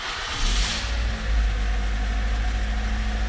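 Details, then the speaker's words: 2007 Ford Focus after tune-up with new spark plugs, coil boots and springs; brief rev then even idle with steady low hum, no misfire or ticking. Normal running. "runs just fine"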